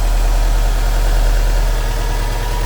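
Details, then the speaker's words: One-owner, all-original 2004 Subaru Impreza WRX STi after cold start, not yet revved, near operating idle speed but not at full temperature: deep, steady low rumble with even pulse, no knocks or misses; smooth, nice-running engine. "and hopefully this microphone and your speakers on your device can transmit just the smoothness of this engine"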